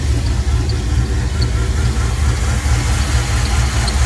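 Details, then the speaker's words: Serpentine belt on the car Ethyl chirps at idle right after startup, short faint high-pitched chirps about twice a second, even after an attempted fix; it is less bad than before but still present. "Oh, for the love of crap, really? You're still going to squeak on me? Why are you chirping? You should not be chirping."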